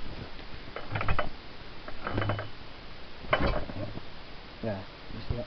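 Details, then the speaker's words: Delta marine engine with new magneto, hand-cranked: slow cranking broken by sharp, uneven thumps as it fires early and kicks back, because the points timing is wrong and it does not fire when the piston should. "it fires but it's not got the point timing right so it's not firing at when this piston is meant to be"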